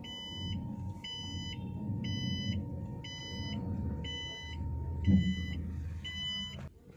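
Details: Mahindra e-Verito EV, 4 years old, 74,000 on the odometer, after fixing a no-drive fault ("wait initializing" then restart loop): moving forward then reverse, the reverse warning gives a steady crisp double-tone chirp about every 0.8 s over low road rumble; working normally.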